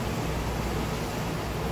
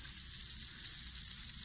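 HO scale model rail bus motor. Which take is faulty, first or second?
second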